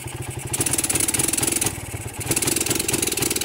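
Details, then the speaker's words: Suzuki Satria motorcycle running with battery removed: rough, uneven beat, revs rise then sag and won't take throttle, fine with battery fitted; weak stator suspected; misfire and no throttle response without battery. "Oke, coba kita lepas baterainya. Ini tidak mau."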